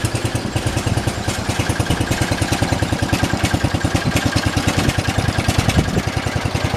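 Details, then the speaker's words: 1968 John Deere 112 mower single-cylinder engine after belt and variator work, running with uneven, slightly lumpy thump about three per second; needed fiddling to run, owner suspects carburetor needs cleaning; rough running. "i think the carburetor might need clean as you guys saw i had to mess with it a little bit to get it to actually want to go"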